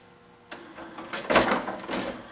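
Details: Sony 5-disc CD changer, broken and given away by a coworker: a sharp click, then uneven whirring and scraping bursts as the changer jams and struggles to load the disc; changer mechanism malfunction, later fixed simply, with clean optics mentioned.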